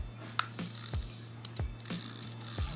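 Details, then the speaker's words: Seahawk Musha 20SHL reel (lever dual carbon drag, max 23 kg): a few sharp, uneven ratchet clicks from the drag clicker alarm, loud over a quiet room. The clicker works normally. "kemudian ada juga ini untuk klik ternyata ini subclip King sound of berat alarm jadi keras sekali suaranya ya seperti ini"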